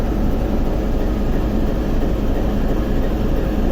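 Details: TEP70 0237 V16 locomotive diesel at start after repair, not yet warmed, run 2-3 minutes, compressor off: deep, even low rumble at constant speed without knocks or surges, almost no smoke; normal running.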